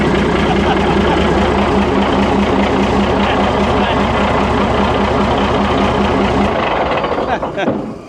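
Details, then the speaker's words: Chieftain tank's Leyland L60 multifuel opposed-piston two-stroke starting for the first time after years sitting. Deep, even, lumpy two-stroke beat at idle with no knocks or misses; it starts and runs cleanly. "All right, fantastic. Fantastic. We've had it running."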